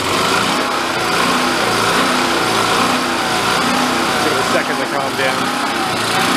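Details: Vintage Coleman Powermate 1500 W generator, long sat unused, revived, running with no load while output frequency is checked for about 60 Hz: steady even drone, no hunting or misses; running normally.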